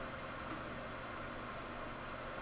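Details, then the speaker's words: Dell desktop brought in for no video at power-on, case just blown out, one RAM stick left installed: CPU fan races at very high rpm with a steady rush of air, no beeps and no POST. "fire it off very high rpm fan again and no post"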